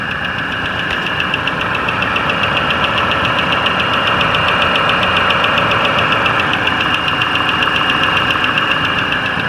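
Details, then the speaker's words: 2018 Mazda CX-5 2.5 L non-turbo petrol with cylinder deactivation, about 6 years old: quick, even ticking over a quiet idle, a worn hydraulic valve lifter and lash issue that is absent on hot days; lifters were replaced under warranty, curing it. "so the issue is something to do with valve lash um I believe so those have been replaced under warranty"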